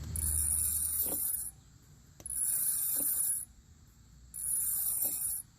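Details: Car rolling slowly with a harsh, hissing scrape coming and going about every two seconds: worn brake pads grinding on rusted rotors that contact only in the middle; fix is replacing rotors, pads and hardware.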